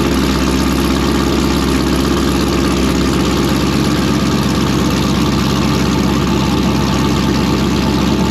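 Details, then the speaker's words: V8 with a blower-spec camshaft, after a base tune: a steady, deep idle with a lumpy beat of about three pulses a second and no knocks or ticks; healthy, and it drops in out of gear nicely. "Yeah, that sounds pretty good for a little blower cam. So, idling away nice, drops in out of gear nice."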